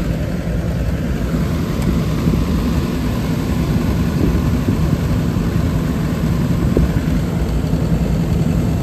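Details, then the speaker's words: Trane rooftop gas heat unit after gas valve replacement, first firing this year: a steady, even low roar with no surging or rattles. Burner and blower run smoothly, though the draft inducer sounds rough and gas pressure is slightly high before adjustment. "All right, she's coming on now. That draft inducer kind of sounds like hell. Took it a minute to start up. Came right on."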